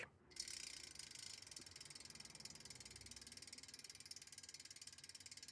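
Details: Extralite CyberRear SPD3 rear hub after a full rebuild with NTN bearing replacement and freehub play removed: crisp, rapid, evenly spaced ticking as the wheel coasts. Normal freehub pawl engagement.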